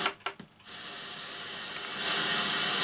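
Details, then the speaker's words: Sanyo VTC-MH5 Japanese NTSC Beta Hi-fi video recorder, first power-up, headphone output to powered speakers: a few clicks at switch-on, then steady even hiss swelling slightly; ordinary untuned FM radio noise, nothing wrong. "let's turn the power on and see what we hear yeah as expected it's just White Noise"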